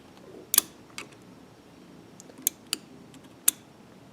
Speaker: That click, it's turning on the switch. Okay? Now you want that to click once it hits these bumps.